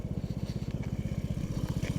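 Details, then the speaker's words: 2007 150cc GY6 scooter, high mileage, parked since 2016, oil only topped off, heard at the exhaust side: even, quick putter of about fourteen beats a second with no misses or knocks and no smoke; healthy idle. "like it's not even blowing smoke like holy crap it's amazing absolutely amazing"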